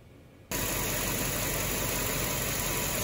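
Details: 2006 Land Rover LR3 V8 petrol after replacing the front air struts: a sudden switch-on, then steady, even hiss and hum without surging as the suspension raises; the air compressor is pumping up normally.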